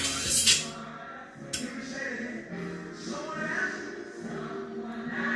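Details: Mackie Thump 15A powered speaker after fitting a brand-new amp module: music comes through thin and tinny with almost no bass, only the highs working. The fault is not the module, so something else is suspected.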